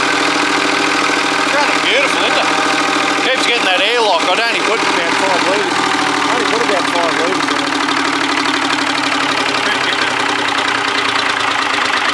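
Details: Allis Chalmers bulldozer's 3-71 Detroit Diesel two-stroke with C60 injectors, first run after sitting about 20 years, fuel tank possibly dirty: an even, steady beat with no knocks or misses once it settles. Sounds healthy.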